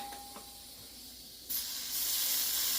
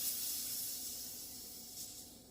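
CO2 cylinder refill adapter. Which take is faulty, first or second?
first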